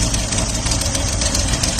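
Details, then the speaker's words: 1979 Opel Monza six-cylinder, barn find, at idle: uneven idle with a rhythmic stumble, still misfiring on one cylinder. Noid tests ruled out injectors 1–5, and injector 6 was then found faulty. "Obviously it's still misfiring a 1 cylinder."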